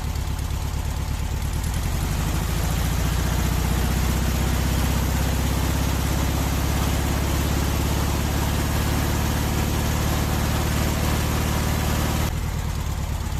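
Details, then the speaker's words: VW Beetle air-cooled engine with weak power, distributor advance out of phase: steady, low, lumpy idle with dull lazy beat; retarded ignition timing, raising temperature above 2000 rpm; advance should be 32° without vacuum, 42° max with. "Mas 2000 xhirove rrise temperaturën, rrise argjimin, sepse advanca ishte jashtë faze."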